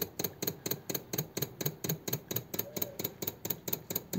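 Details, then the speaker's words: 1933 five-window coupe with a flathead engine, parked nearly three years: with the engine off, the electric fuel pump gives steady sharp clicks about twice a second while filling the carburetor, stopping once the carb is primed; normal priming. "be going into the carb now when it stops clicking you know the carb is primed"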